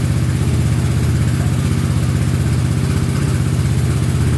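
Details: Honda Big Red ATC 200 (200cc) three-wheeler, barn find sat over 6 years, carburetor just reinstalled: steady, even single-cylinder thump at fast idle, about four beats a second, no misses or knocks; runs pretty good, normal idle.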